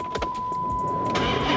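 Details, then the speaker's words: Used 5.7 liter Hemi car with 189,000 miles, checked while shopping: a few quick starter cranks, then it catches cleanly and settles into a smooth, steady run; sounds good, a normal start. "[Music] oh man sounds good"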